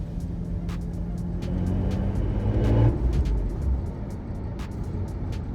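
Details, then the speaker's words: BMW M3 E46 driving in second gear: engine pulls under load while a light ticking repeats about three times a second, apparently from one side's wheel or tyre with steering vibration; a deformed tyre suspected, not confirmed. "有一种噪音似乎来自轮胎，我不知道如果是前部或后部，那么我们将从第二档开始。"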